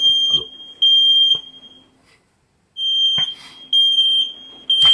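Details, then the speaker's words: Ceiling smoke detector set off at 2:30 am by vapour during a DIY radiator fan heating-booster project; shrill half-second beeps repeating about once a second with gaps, smoke alarm triggered by vapour. "dann geht nämlich gleich der der Feuermelder los hier der Rauchmelder hier oben ne da war ich auch nicht alleine das war morgen um 2:30 Uhr ne also der war hier in der Höhle los"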